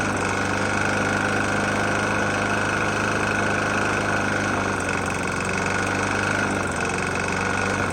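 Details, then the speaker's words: Murray E450 mower, Briggs & Stratton engine, oil found nearly empty and topped up: the single-cylinder runs steadily with a hard rhythmic knock over the exhaust note; knocking badly, cause unconfirmed. "Got a Murray E450 Briggs on there. Engine's knocking pretty bad."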